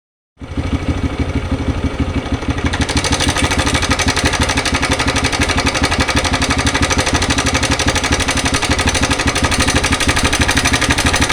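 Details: TVS Raider single-cylinder idling with a sharp, rapid rattling tick over the beat, about three per second, steady; abnormal engine noise, source undetermined.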